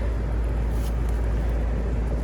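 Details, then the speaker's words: Amana heat pump outdoor unit on a no-cooling call, indoor fan running, board blinking six for open start circuit: heavy steady low drone, compressor humming and straining but not starting; compressor struggling to start. "ah that doesn't sound good"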